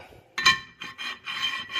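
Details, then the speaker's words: Hyundai Santa Fe brakes with the ceramic pad material gone, giving a harsh, uneven rasping metal-to-metal grind. "Holy cow. That is metal to metal, for sure."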